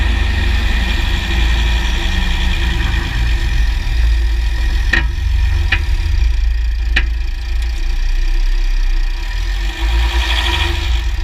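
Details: 2009 Jeep Grand Cherokee WK, 3.0 CRD diesel, Quadra-Trac II, GoPro on skid plate: diesel idling with sharp irregular clicks and clunks as the driveline loads and unloads; driveshafts test OK, front diff bushes replaced, transfer case oil changed; cause still unknown.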